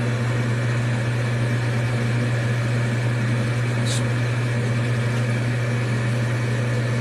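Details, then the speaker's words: Amana gas furnace after igniter replacement, during the startup sequence: the control board relays click, then the exhaust inducer blower runs with a steady, even hum and no rattle. It is operating normally. "Control board's clicking. relays are doing things. Exhaust blower comes on."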